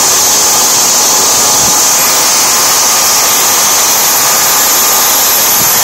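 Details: Tiernay turbine run again after sitting two years, following repair of a high-pressure fuel line. Steady high-pitched jet whistle over an even rushing roar, no surging or pops: normal running.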